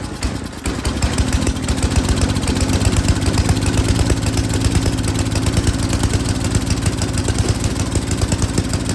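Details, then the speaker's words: Yard King snowblower, full throttle, choke on, primed; the single-cylinder catches and runs with a ragged, uneven beat while the carburetor's high- and low-speed mixture screws are being set. "a lot of times you can just hear the engine you can hear it's running real rough and then you make an adjustment and it picks up and it sounds better"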